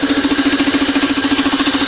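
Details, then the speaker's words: Old home-made air compressor, capacitor-start motor mounted crooked, tiny tank: quick, even pulsing hum of about twelve beats a second that never stumbles; pump running normally, building pressure quickly. "So we build up the pressure and it's well now. Builds up pressure really quick because it's a tiny little tank."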